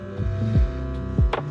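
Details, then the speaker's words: Old R-22 rooftop AC unit, 208 V, fan wires removed, hard start kit already fitted: compressor gives a loud low hum surging and dropping in short pulses, failing to start, amps over RLA; compressor locked, unit to be replaced. "And now you're gonna see, I'm gonna turn this on and you're gonna hear the noise coming out of the compressor. It is locked. And look at the amps. We are over RLA for 208 volts."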